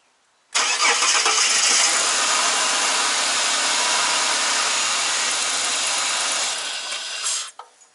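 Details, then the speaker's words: Ford BA Falcon engine at idle, started after replacing the spark plugs and ignition coil packs. It cranks, catches quickly and settles into a smooth, even idle with no misfire, running on all six cylinders. "So as you can hear from that nice smooth idle, running on all six, so we can put everything back."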